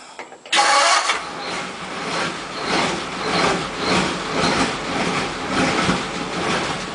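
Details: 1941 Ford pickup flathead: catches after a short crank, then lopes unevenly, surging and sagging every second or so, won't rev; ignition wiring fault found by substitution with a temporary harness.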